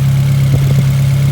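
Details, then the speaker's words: Nissan 240SX after repair: the loose hose was clamped, coils tested fine and the idle screw was adjusted. Now a steady, even low hum with no hunting or stumble, a smooth settled idle. "And then all he did was just adjust the screw, and now it's running be"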